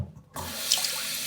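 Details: Toilet cistern after the stretched fill-valve washer is replaced with a new one and the water turned back on: a short quiet, then a steady, even rush of water refilling with no squeal or chatter. Normal cistern refill.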